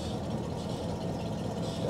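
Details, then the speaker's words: 1969 Cadillac Eldorado 472 V8, 21,000 original miles, first start after sitting 20 years, new fuel pump, metal feed and return lines and fuel filter; smooth, even low idle with no misses, ticks or knocks. "go ahead man that runs so good I cannot believe that"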